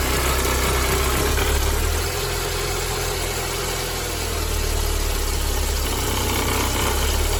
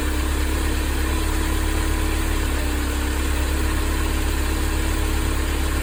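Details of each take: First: Mercedes-Benz W201 190E 2.0 (M102) at idle before repair: low gravelly rumbling noise rising and easing slightly from the worn-out belt tensioner; tensioner, damper, adjuster bracket and belt to be replaced. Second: Mercedes-Benz 190E 2.0 W201 (M102), idling after replacing worn belt tensioner, damper, adjuster fittings and belt; smooth, even low rumble, no squeal, chirp or rattle from belt side; belt tension fine, belt drive healthy.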